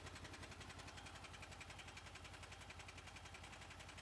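Steady idle with a fast, even light ticking riding over the engine note, roughly three or four per second; source of the clicking is unclear.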